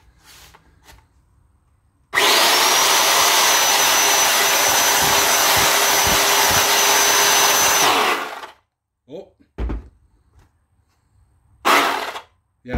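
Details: Old Craftsman circular saw with a suspected bad bearing, grease discolored, run while the owner suspects the armature is rubbing the stator. Spins up to a high whine with a harsh gritty rasp for about six seconds, then runs down.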